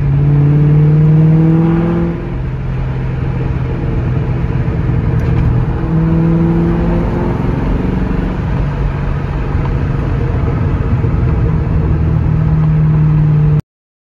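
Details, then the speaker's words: 2003 Mustang Mach 1 on a road test after pinion seal replacement: engine rises and settles smoothly through acceleration and coasting with no whine or howl from the differential. "So it sounds pretty good. I don't hear any howling of coyotes, is what they call it, where the differential whines on D-cell or on acceleration because the pinion is not set in right with the correct preload and everything."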